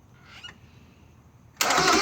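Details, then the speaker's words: 1996 Miata won't start after a TB change. With the clutch in, a brief grinding attempt, then a loud high-pitched starter whir with no cranking rhythm, so the engine is not turning over. Owner unsure whether it's no compression or a blown head gasket. "whenever I start the car it sounds like it starts to want to turn over and then you get a high high pitch whirring noise from the starter"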